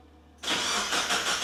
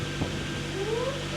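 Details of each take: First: NB drift car's first start, back on the ground, after a new pilot bearing, throw-out bearing, Deatschwerks fuel pump and filter. Several seconds of even cranking, then it catches into a smooth, steady idle; the fuel pump makes an odd noise; normal start. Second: NB drift car first started after a fuel system refresh with a new Deatschwerks fuel pump and filter, plus a pilot and throw-out bearing replacement: a thin whine climbs in pitch over a low idle rumble. The new fuel pump makes a funny whine.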